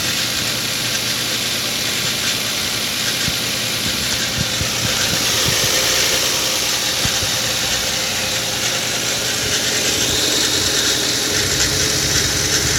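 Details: 2013 Nissan Xterra, 95,000 miles, cold start: idle with a harsh hissy upper rasp and loose uneven tapping underneath; strange engine noise at cold start, cause not identified.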